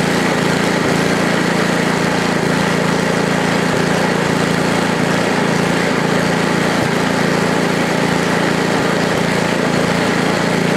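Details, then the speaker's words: Ariens ST824 8hp snowblower (model 924050) single-cylinder engine, old and rusty, started right up; runs steady with choke on and throttle stuck at about mid-range, even busy exhaust note. "well started right up think you love it right away"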